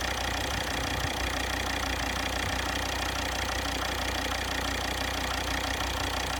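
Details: Volvo XC60 D5 diesel (believed Euro 4) idling, listened to with a long screwdriver on the injectors: fairly regular tick about three per second over engine clatter, one injector sounds suspect; injector ticking at idle.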